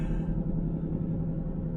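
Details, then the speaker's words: Truck driven with no oil in the rear axle: a steady, loud low hum under road rumble while driving; rear axle damaged, bearings and pinion suspected. "hear that loud humming noise well tracy decided she needed to drive around with no oil in her rear axle and so"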